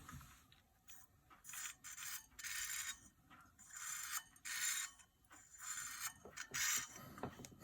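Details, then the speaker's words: Opened hard disk from IBM PS/2 Model 25 that screamed and failed diagnostics and high-level format: harsh scraping bursts every second or two over spindle whir, heads dragging on platter with aluminum shards, head crash. "oh yeah looks like uh some sort of a head crash you can actually hear it scraping"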